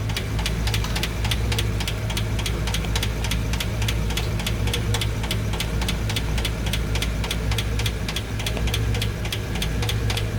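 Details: Sharp light ticking about four per second over steady idle on a carbureted engine's cylinder bank, following engine speed; valve train tick suspected from hydraulic lifters, owner suspects poor oil supply to rocker shafts.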